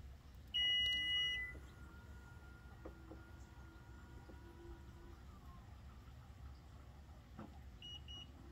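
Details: Toyota Venza power rear hatch that quit working, fault apparently at the lock: short burst of sharp high beeps, faint motor whir, more beeps; liftgate warning chime, hatch not operating right.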